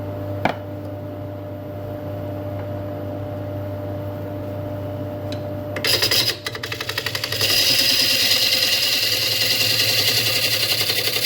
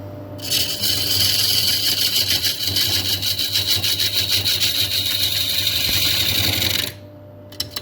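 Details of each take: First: Woodturning a 200 mm camphor laurel bowl on the lathe: under the scraping of the cut, a fast, regular tapping of nearly four per second comes from the tool hitting a hidden inclusion beside a knot. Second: Turning a 290 mm Camphor Laurel bowl on a faceplate with a freshly sharpened 1/2-inch spindle gouge: a steady hissing cut with even chatter about 200 per minute for six seconds. The sharp gouge cuts cleanly.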